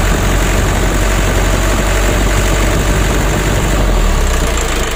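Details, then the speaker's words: Warm Mitsubishi 120 PS Ragasa diesel truck engine, idling then given light-to-half throttle: heavy, uneven low rumble and shudder, cab shaking; smooth at high throttle, worse when hot; nozzle and plunger service planned, fuel, oil and valve clearance to be checked. "mulai kita gas awal Gas sampai separuh itu guncang teman-teman kita matikan dulu kalau mesin sudah mulai panas ya"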